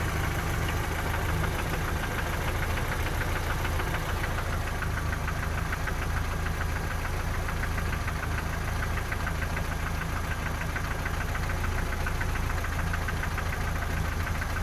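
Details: 3S-family engine in a VAZ 2121 (Lada 4x4) at idle: sharp tapping about four per second near cylinders 3 and 4, by the camshafts or lower; valve clearances, gear and cam beds already checked; top-end knock, cause unknown.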